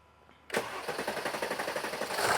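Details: 2017 Mercedes GLS 450 3.0 L with codes P0016 and P0011 and the check-engine light on: starter cranks evenly for a long time before starting; long crank.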